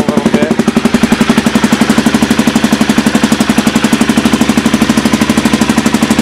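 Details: Aprilia Pegaso 650 after fitting a 2008–2012 KLR 650 DG oval exhaust can with custom mid-pipe and spark arrestor, idling in a shop: loud, throaty, even thump about four a second; healthy idle, possibly running slightly lean.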